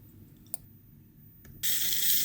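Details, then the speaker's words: JCX LR1801 1/18 RC car, gearbox out: shift servo gives a sharp, hissy high buzz as 1st gear binds; fixed by melting a new hole above the original, after which shifting is free with no buzzing. "And you can actually feel here that 1st gear keeps binding, and you can actually hear it by ear too—a slight buzzing noise comes from it when"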